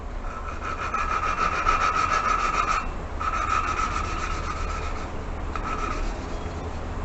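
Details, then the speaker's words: Toyota 1NZ-FE cylinder head being built for turbo, hand lapping a valve after cleaning seat and valve: even fine swishing strokes, about three per second, no gritty scratch; smooth lapped valve seat. "that sounded awesome like that was exactly from my ears anyway exactly how the video that I'll be posting a link to sounded"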